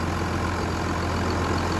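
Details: 1998.5 Dodge RAM 2500 Cummins turbo diesel, 5-speed 4x4, after turbo center-shaft rebuild: steady, even low diesel rumble at idle with no misses, knocks or flutter; healthy.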